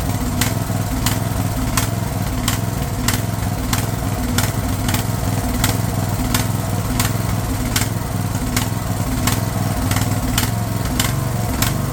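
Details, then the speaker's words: Craftsman LT1000 riding mower/tractor, fed gas of uncertain freshness, holds a steady, even low single-cylinder thrum with a light regular tick; running properly after the fuel solenoid was found cut off. "running pretty good now. I'm not sure how fresh that gas is, but I don't think that'd be a problem here."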